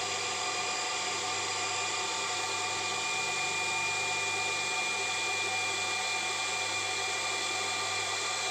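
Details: Automatic water pump after replacing its spring check valve, which had let water flow back and kept the pump running with no water use: steady electric hum, faint high whine and rushing water, running normally.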